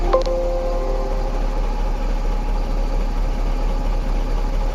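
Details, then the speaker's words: Mahindra Blazo BS6 M-Dura tipper diesel after the P0344 camshaft code was cleared: starts instantly and holds a deep, steady idle rumble with no misses or knocks; engine running normally. "वाहन तुरंत start हो जाता है। अब सब ठीक है।"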